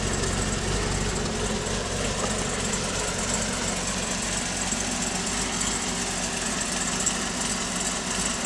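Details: Pontiac G8 V8 with TSP 225/230 114LSA .618-lift cam, DOD delete, TVS1900 Magnacharger, stock manifolds and catback, cold at 650 rpm idle with fans off: low, choppy, uneven lumpy beat from the aggressive cam. Nothing wrong.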